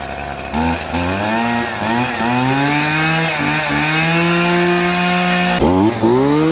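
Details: Maruyama two-stroke trimmer after no-start repair (fuel line had come off; fuel lines, fuel filter, spark plug replaced): crisp buzz climbing and dropping cleanly with each throttle blip, no bogging or sputter; runs properly.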